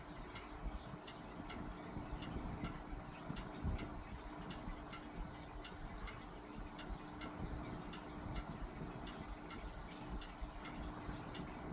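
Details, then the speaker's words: Vintage Lakewood Country Aire C-720-3 three-speed box fan, Westinghouse motor, just started on low speed: soft steady motor hum with faint even ticking; running smoothly and normally. "Alright, let's start it up on low. Yeah, imagine that running on low in your window. It's wonderful."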